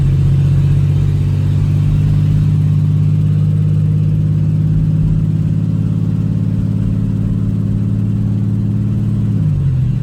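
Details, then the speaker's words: 2008 Chevy Express cargo van, driven around the block: deep, loud, steady exhaust drone under load, dropping as revs fall; open exhaust because the catalytic converters were stolen. "So apparently it's got a racing exhaust. The cats were stolen off of it, and it's a little loud, which I think that's why they're asking so little for it."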